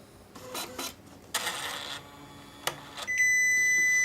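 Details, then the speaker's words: Catalina 7 coupon printer out of paper: after handling clacks, a steady high-pitched beep holds while the paper-out indicator turns red; beeping stops once a new roll is loaded and auto-feeds. "when the printer runs out of paper you will hear beeping and the paper out indicator light will turn red"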